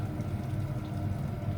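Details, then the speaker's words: Ravenheat 85CSI combi boiler after pressure-loss repair with the PRV cleaned and the system bled: soft steady low hum with no gurgling or rushing water, running quietly and normally once the airlock was cleared. "it sounds a lot better now they have she gone we finally got rid of the airlock"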